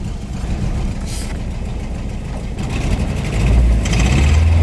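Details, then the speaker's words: 1989 Isuzu Trooper four-cylinder with a blown head gasket, coolant loss from the radiator: lumpy, rough idle with a steady stumble from a dead cylinder. "this thing's got a blown head gasket that water in the radiator and it's got a dead cylinder very common it runs rough"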